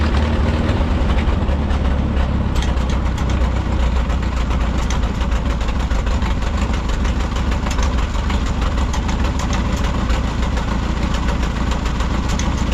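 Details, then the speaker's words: 1951 Farmall M tractor at warm idle after oil change and rebuilt carburetor: loud low chugging idle, smoother than before but with occasional stumble and pop, intermittent misfire of unknown cause; spark plugs to be checked next. "now the tractor is running a lot smoother than it was you know since we put the rebuil carburetor on there but it's still popping and missing every once in a while and it shouldn't be doing that"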